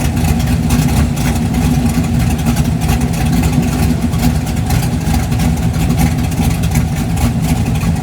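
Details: 1988 Ford Mustang LX 5.0 V8 fox-body budget drag car, first fire-up after a home-welded exhaust redo, before painting: deep, loud, steady raspy rumble with no knocks or rattles; normal running, just a loud freer exhaust.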